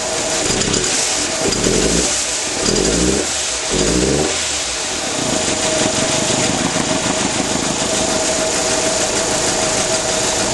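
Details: 1996 Nissan Almera 1.4 starting and idling: lumpy, uneven idle with irregular stumbles, a bad misfire.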